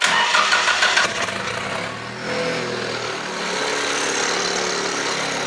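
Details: Lincoln Navigator 5.4 V8 previously seized, crankcase diesel-soaked, in neutral: brief cranking, then catches and settles into a smooth, steady idle without knocks or stumbles; starts and runs fine, owner wonders about a slight engine noise.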